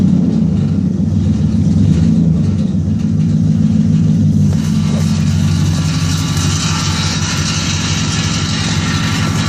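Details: 2001 Chevy Silverado: a deep truck rumble, then a rough, scratchy grinding rises intermittently from very close to the transmission; cause not confirmed.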